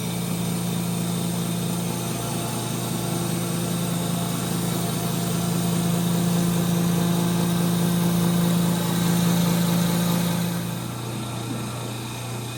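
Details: 1930 Gilbert and Barker model 106 clock-face gas pump, after a WD-40 restoration, pumping fuel: steady low electric hum, constant tone, pump pulling evenly with good flow and pressure; motor super smooth, normal pump operation.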